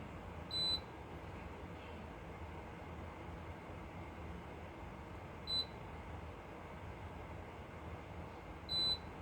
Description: Frigidaire washing machine keeps beeping.